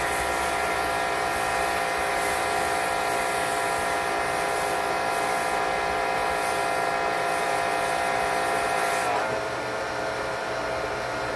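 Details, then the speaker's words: Electric Karcher pressure washer with Twinkle Star foam cannon after drilling its nozzle orifice to 1.5 mm: steady even hiss over constant motor hum, no pulsing or surging; pulsation fixed. "I would say that's working pretty well"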